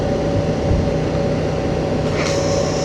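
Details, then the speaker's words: 2025 Honda Transalp 750 on Karoo Street tyres at indicated 100 km/h: steady road roar with a thin high tone on top that fades when backing off; tyre whine from the tread, absent on the 2023 model with Dunlop Mixtours. "only to be greeted with a freaking like a banshee hell at 100ks."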